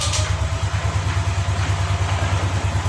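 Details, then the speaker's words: Yamaha Lexi scooter that died suddenly: with ignition on, the starter cranks steadily at about three pulses a second but the engine never catches. "Jadi jelas motor ini mati, Pak, ya. Namun permasalahannya entah dari mana, entah pengapiannya hilang ataupun ada yang lain."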